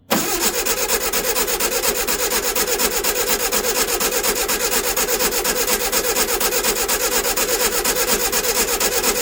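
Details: 1964 VW Baja Bug, formerly seized engine, sitting over a year, started on old gas with battery charged: brief crank, fires at once, settles into a steady, even clatter of about two beats a second; idles fine.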